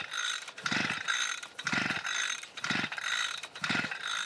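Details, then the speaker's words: 52cc SGS strimmer pull-started after priming ten times, choke up: four rattling pull bursts, engine spins like it wants to go but never catches or fires; cranks but won't start, cause not found. "you can hear it like it wants to go but there's nothing there for it to go"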